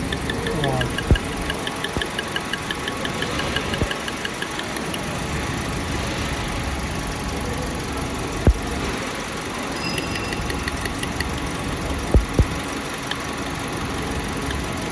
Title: Yaris 2024 model missing problem and misfire detect